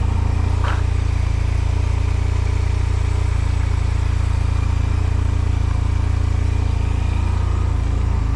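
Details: 2005 Honda Silver Wing scooter just started for first time after sitting mossy, oil and coolant checked: steady, even low thrum with no knocks, misses or rattles, idling smoothly; normal idle.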